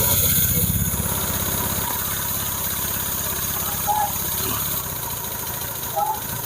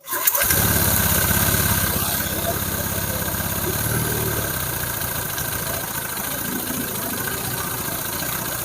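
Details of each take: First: Honda Vario 150 scooter during engine rebuild, idle screw set two to two-and-a-half turns, suspected past coolant loss: uneven wandering idle rising and sagging; unstable idle, smoke from oil dripped on exhaust. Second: Honda Vario 150 during engine rebuild, restarted after valve clearances set to 0.10/0.15 and idle screw adjusted: scooter catches and settles into a steady, even idle with no knocks or rattles; smoke is only oil dripped on the exhaust.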